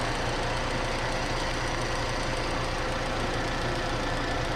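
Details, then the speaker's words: Petrol car engine idling evenly with the AC on after treating the belt with an old home remedy: no belt squeal or whine, just a steady low hum; alternator, its bearings and tensioner roller had already been replaced without curing the squeal. "все вот тихо работает никакого шума"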